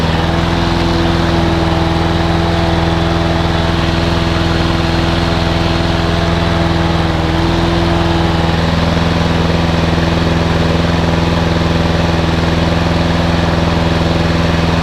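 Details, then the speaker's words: Micks Mowers owner's own small mower engine, sat unused all winter, cold start on a chilly frosty day after priming; settles into a steady, even warm-up idle with no misses or surging, normal idle. "as you can hear my little high-tech is now taking over quite nicely in your background just we'll give it a warm up"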